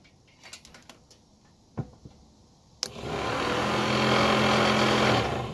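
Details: First-gen F-body Camaro/Firebird replacement blower motor fitted in the original housing, wired directly to the battery positive: handling clicks, then a loud steady droning hum resonating through the entire car. Noisy blower motor, before swapping to an ACDelco unit.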